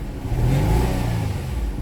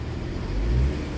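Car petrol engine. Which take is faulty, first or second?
first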